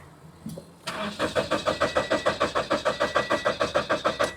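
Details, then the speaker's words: 2015 Scion FR-S automatic, about 105,000 miles, with an owner-installed replacement engine; normal-sounding even cranking at about three and a half pulses per second but no start, no RPM reading, check engine light on. "I mean, sounds normal cranking."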